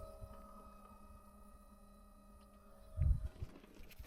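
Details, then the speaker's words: Fuel pump priming with the ignition cycled after a fuel filter change, before a cold start on a car that had been struggling to start: a faint, steady electric hum and high whine with the engine not turning. "can just hear that buzzing noise and then we'll see what it's like on a um cold start see if it still struggles"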